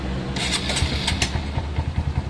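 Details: Honda CRF150 with racing camshaft, restarted after ECU remap (TPS slow raised to 22, slow-medium 14): single cylinder catches quickly and settles into a steady, even idle thump with no stumbling; starts clean and runs healthy.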